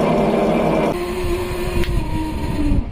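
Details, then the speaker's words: Forward baitwell pump (Sentry) on a Grady White 251 boat: rough droning hum with a wavering whine over the motor tone, unlike the healthy rear pump; worn bearings, pump to be replaced with a Rule pump. "because the four one's making noise so let's turn now and see what it does oh yeah that don't sound good"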